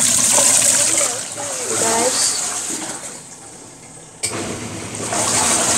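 Steady swishing and sloshing of water as the impeller churns the load, with no knocking or grinding; normal wash action.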